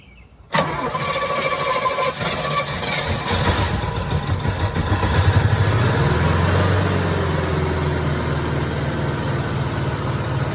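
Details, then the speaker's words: 1969 Pontiac LeMans (GTO project) with stock engine, parked since 1996 and first start after 25 years: cranks briefly, catches quickly, flares up, then settles into a steady, even idle with no misfires; normal start and idle. "[Music] wow there you have it we got the judge coverman Le Mans slash GTO project uh running and"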